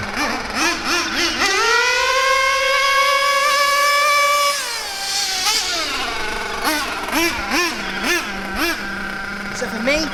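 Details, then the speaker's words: Bio Hyper 7 nitro RC car with Mach 28 engine, full-throttle passes in cold weather: high-pitched scream climbs, holds steady and drops back cleanly; high-speed needle well set, maybe slightly rich, judged by sound and blue exhaust smoke. "that there is what I would consider to be a good maybe slightly rich but that's good in this cold weather that's what I consider to be a good highp speed setting"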